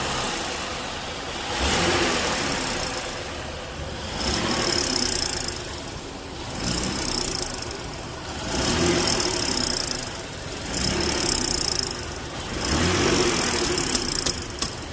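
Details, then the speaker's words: 2019 Ford Explorer 3.5L police car, 59,000 miles, code P0430: on each rev a hissy tinny rattling rush that eases as revs drop; catalytic converter on the verge of failing, one-piece pipe to be replaced. "sometimes when these start to go out i've never seen one make that sound without it actually cracking first this one's on the verge of going out"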